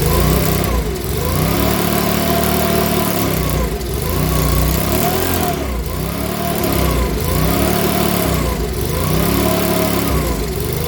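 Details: Makita BHX2500 four-stroke leaf blower, after valve clearance and timing check, NGK plug checked, airbox off: engine speed rises and falls about every second and a half; surging, unstable running, owner reckons it needs a new carburettor.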